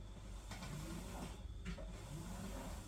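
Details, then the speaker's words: Electrolux PerfectCare 800 EW8H458BP tumble dryer, six years old, after replacing worn, broken drum rollers: drum turns quietly with only soft low rumble and faint sliding, no more roller noise. "nie ma nie ma dźwięku jeszcze"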